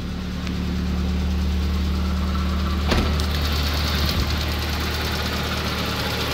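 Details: Nissan CA18DET at idle: steady idle with an uneven, fairly quick deep knock over the low rumble. Rod bearing failure suspected, not confirmed.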